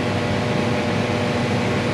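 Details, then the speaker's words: Condo furnace running before fix: loud steady blower roar with a buzzy rattle on top, cabinet vibration from loose screws; blower draws 4 A, inducer 2 A, total 5.2 A, not over-amping; tightening screws stopped it. "probably tighten tighten the screws up you know we tighten that that vibration went away yes wow"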